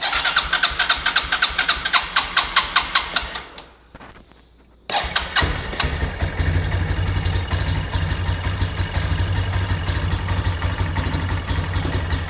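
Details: 2008 Yamaha Big Bear 250 bought broken, started while warming up on choke; it won't run without the choke, and the owner wonders about an air leak. Sharp cranking pulses, then a steady, even idle with light revs; sounds healthy.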